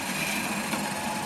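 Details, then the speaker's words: R2D2 droid dome rotating after loosening: a steady, light motor whir with even pitch and no catching or scraping; very smooth, though the dome was still catching the outer rim a few times earlier and the height needs adjusting down. "it's very smooth got to make sure the height I have adjust that down slow"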